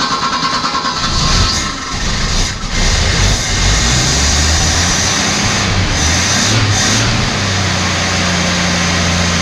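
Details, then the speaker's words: Abandoned Australian Ford Falcon ute six-cylinder, stale fuel flushed, thermostat just opened: lumpy idle with irregular stumbles about once a second, worse at the front than the back; suspected lean misfire from a dirty carburettor idle circuit, not a sticking valve. "I don't think that's sticking a valve. I actually think it's lean misfire. So down the back it sounds a lot better than it does up the front. I'd say we just got a dirty idle circuit."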